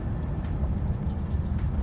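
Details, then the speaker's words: 2006 Nissan Titan 5.6 on test drive after replacing weak fuel pump that limited it to 2500 rpm with hesitation and stalling: deep even roar at wide-open throttle, no stumble, now pulls past 2500 rpm. "speak right now feels like it has power I'm flooring it right now whoa Oh finally there you go"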